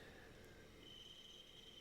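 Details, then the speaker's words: Manually fed milling cut, slightly heavier than previous cuts: a steady high squeal near 3 kHz over the milling noise, from feeding the handle too slowly. "i think i should have been feeding a little harder and that's where the squeaking is coming from that you can hear"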